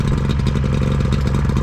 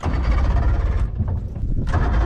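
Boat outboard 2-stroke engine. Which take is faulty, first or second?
second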